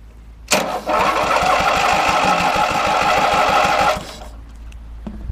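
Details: Briggs and Stratton 17 hp opposed twin after replacing a weak, overheating starter with a good used one: brisk, even cranking about three turns per second, then engine catches; starter working properly.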